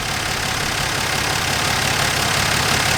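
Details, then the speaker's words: Dodge Dart Swinger (A-body Mopar survivor) with 225 Slant Six and single-barrel Holley, just revived after sitting: steady even idle, smooth hiss-like exhaust note, no knocks or misses; pulling clean gas, fuel line good, motor sounds great. "Motor sounds awesome. It don't get much better than that."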